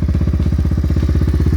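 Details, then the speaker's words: Honda four-wheeler, single cylinder, after neutral switch/light fix, cold start at about -10 to -15 after about 30 cranks: steady even thump around ten beats a second, no misses or clatter; healthy idle. "So the neutral light is fixed. Four-wheeler started. Cold morning, -10, 15 below. So everything works good, works fine."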